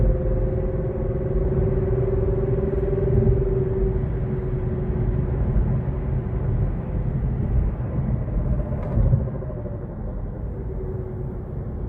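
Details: 2023 Kia Niro EV at 8,500 km: heavy low rumble while driving with a wavering mid-pitched hum above road noise, strange drive-unit noise persisting after tires and axle shafts were checked/replaced under warranty.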